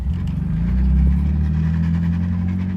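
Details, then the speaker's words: Car with coilovers being checked for front-end clunks after components were re-tightened, driving: even low road and engine rumble with no knocks or clunking; front end sounds tight and quiet. "so I just drove it I started pretty good definitely no knocks or clunking"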